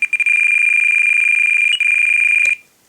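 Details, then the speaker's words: Radio for Great Planes Avistar nitro RC aircraft throttle servo setup: rapid high-pitched trim beeps, then a pause and changed tone marking throttle trim reaching zero. "okay you can hear this sound of the beeps to let you know you're at the zero so listen again that's zero"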